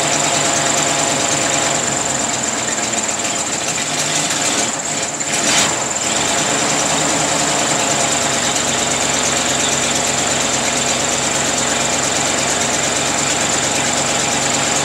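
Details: 1934 Ford sedan, rebuilt original 1934 flathead V8, first start in 30 years after distributor and coil rebuild, new plug wires, cylinders lubricated, oil changed, temporary gas can; steady even idle with fast smooth patter, no knocks or misses, runs cleanly.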